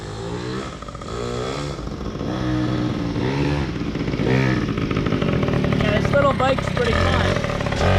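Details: PW80 two-stroke minibike, repaired, with a new rear tire and tube: crisp ring-ding blips rise and fall cleanly with the throttle, no misfire or knock; healthy.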